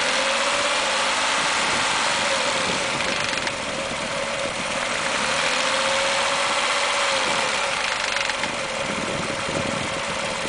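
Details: Mazda 6 petrol engine knock/rattle at 1000-1500 rpm, a quick loose rattling knock over a hissy run, noticed after removing clogged catalytic converters and fitting new MSDS headers.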